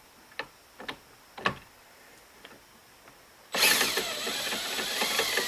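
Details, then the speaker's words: 1958 Gravely LI magneto ignition being tested, engine spun with a drill: sharp crisp snaps of a spark arcing, then loud drill whir. "Got a spark."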